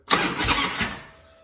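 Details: 1999 Harley-Davidson Ultra Classic with a failed ignition switch, started with a jumper bypassing the switch: brief strong starter whir with even V-twin compression pulses; normal starter cranking.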